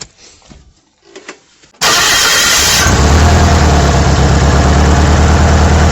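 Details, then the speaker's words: Small Kia after tightening the exhaust header: engine catches after a short crank and settles into an even steady idle with no puffing or ticking at the manifold; exhaust leak fixed. "looks like we don't got an exhaust leak anymore that's me run hillbilly fixing the exhaust leak on our little kia"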